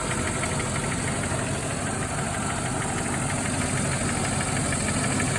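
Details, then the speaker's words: Mercedes E420 V8 at cold idle after throttle body rebuild: fast light ticking over the idle, following engine speed, heard right above the valve cover on one side; valvetrain tick, possibly a noisy lifter, cause not confirmed. "And if I put my head on that side, you can hear it right above the valve cover."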